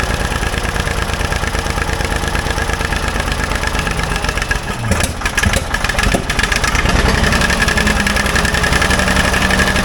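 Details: Old Ford loader backhoe, long unused, rough uneven idle with irregular pops and spits; mechanic suspects it isn't getting full gas flow, as a fuel line connection leaks gas badly; cause not confirmed.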